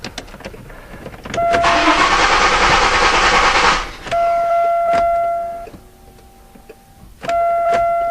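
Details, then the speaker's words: 1999 Chevrolet Malibu after reconditioning collapsed lifters, bottom end untouched, cold start: catches cleanly, brief rough clatter settles to an even quiet idle with no lifter tick left; normal idle, confirming top-end lifter noise. "Wow, what a difference. So I guess that shows it."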